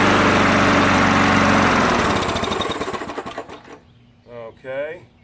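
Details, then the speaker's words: Cold start of an old 3 hp MTD 20-inch push mower on fresh gas, throttle set to fast, breather off: rapid pull-cord cranking, a brief catch, then it dies without running; owner suspects it is starving for gas. "i think it's starving itself for gas i thought for sure it's going to start"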